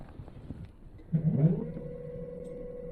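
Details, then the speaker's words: 60V Yadea EM-163 Harrier electric moped after a battery replacement: the hub motor's soft hum rises, then settles into a steady, even tone as the rear wheel spins, with no cutting out; it sounds and feels happier. "wow that feels a lot more happier that does that sounds and feels a lot happier"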